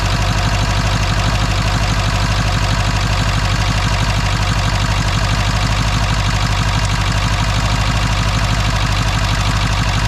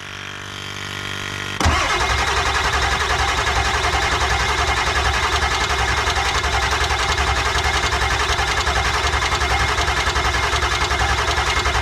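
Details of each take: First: Ford F250 7.3 Powerstroke diesel after the injector replacement was fixed: steady, even clatter at idle with a solid low rumble and no misses. High-pressure oil pump reached 3,200 psi at start; at idle about 780 psi with IPR 17.8%. Healthy idle. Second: Ford F250 7.3 Powerstroke diesel after injector replacement, cranking on jump box: starter turns steadily but never catches; injection control pressure only reaching about 450, too low to fire injectors, crank no start; cranking speed also thought too slow.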